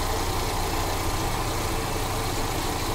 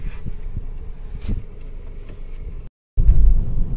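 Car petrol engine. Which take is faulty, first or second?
first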